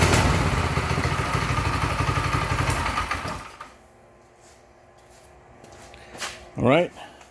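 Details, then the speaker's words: Mega Moto 212 mini bike with Briggs & Stratton small engine, newly assembled, about 8°F outside: single-cylinder putters evenly at fast steady beat, then cuts off cleanly; kill switch works, healthy engine. "the kill switch works as it should very good"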